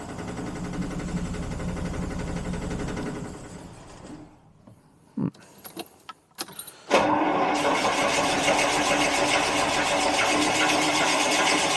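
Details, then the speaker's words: Carbureted 1975 Jaguar XJ12 V12, max choke, fuel pump sounding wrong or a valve possibly broken: long steady cranking about four turns a second, a pause, then more cranking without catching; owner suspects the chokes aren't working, starting fluid is next. "My guess is that the chokes are not working really on it, but we'll see if we can get it going."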